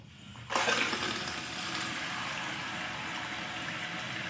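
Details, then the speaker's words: Toilet after replacing the tank internals and flapper chain, water supply turned back on; sudden rush settling into steady hissing fill with no gurgle or sputter, stops at the fill line, no leaks: fill valve refilling normally. "that is filling the water back up and filling underneath the toilet"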